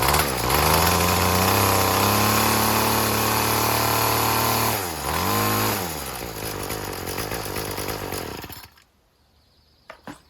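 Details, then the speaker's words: String trimmer (weed whacker) after replacing the carburetor and fuel lines: revs climb, hold, dip and recover cleanly, idling a little rough after flooding. The cause was air in the fuel system from a line not seated through its hole. "I mean, it's idling a little rough, but I flooded it up."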